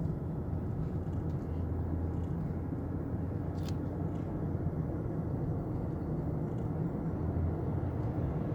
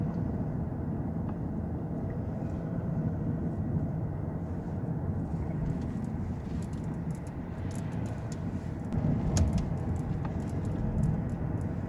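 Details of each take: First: 2009 Lexus LS460 that rattled over rough roads, test drive after underbody repair of a burst fluid-filled front component: steady road and tyre rumble with no clunks or rattles; noise fixed. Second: 2009 Lexus LS460 driving over unpaved or rough road, irregular light clattering and knocking from the underbody through steady road rumble; a subtle noise that was hard to locate and was found on the second attempt.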